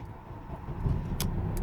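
A brief crank, then the engine fires and builds into a smooth, steady run on the first try.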